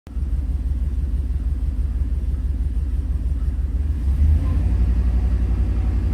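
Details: 2001 5.3 LS V8 truck running poorly: low lumpy idle with uneven stumble roughly every fourth exhaust beat, sounds like a cylinder misfiring.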